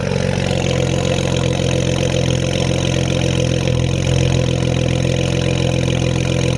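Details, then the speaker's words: BMW 335i E92 twin-turbo with upgraded turbos, first start after engine reinstall, running rich: idle with uneven stumbling beat; misfire logged in cylinder one, no check engine light, owner suspects spark plugs need re-gapping. "i got a misfire in cylinder one so i think i may need to re-gap my spark plugs but no check engine lights"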